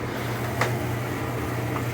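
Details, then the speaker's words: GE dryer (model 453EB2W) running with door switch held: steady low motor hum with the drum turning evenly, no scraping or thumping; belt is fine. "And you can see it's spinning as I'm holding this. So, that tells you the belt is fine."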